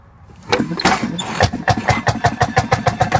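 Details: 1952 M-14 railroad motorcar (speeder) from the Cadiz Railroad, freshly upgraded with grease fittings, timing set back: after a few hand-crank kicks it catches and settles into steady, even popping, about six beats a second; a clean, healthy start.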